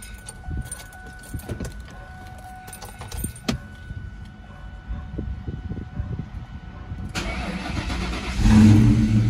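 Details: Mustang GT SN95 4.6 V8 after cylinder head repair following a blown-out spark plug: keys and clicks with a faint chime, then it fires up and revs cleanly with no ticking from an exhaust leak.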